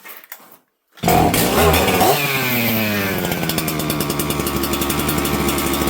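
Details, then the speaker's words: Husqvarna 266XP auction chainsaw; climbs smoothly to steady high buzz without surging or four-stroking, tunes beautifully, running normally. "thing runs pretty good. It tunes beautifully. I'm actually kind of shocked."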